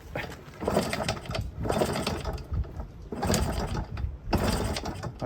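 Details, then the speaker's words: 1997 Yamaha PW50 two-stroke shaft-drive minibike, bought as a non-runner; repeated kick strokes about every 1.5 seconds turn it over but it never fires; owner suspects an over-oily mixture not igniting and throttle set a little low. "that over oily mixture is not going to ignite extremely well throttle's a little low"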